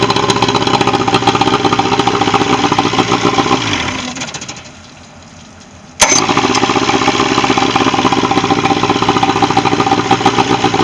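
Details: Boat outboard motor, in for a bad starter, on a final running test: a steady rough putter at about four beats a second that cuts out briefly, then fires straight back up and runs evenly. Normal running.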